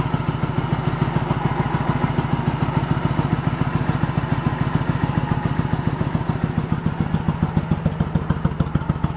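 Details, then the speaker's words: 1986 Yamaha Virago 1100 V-twin, sat six to seven years with fuel in it, no choke: lumpy, uneven idle of three to four hollow pulses a second; front cylinder not firing, fuel later confirmed reaching it. "Front cylinder's not doing anything. I got nothing on that front. I gotta look into it."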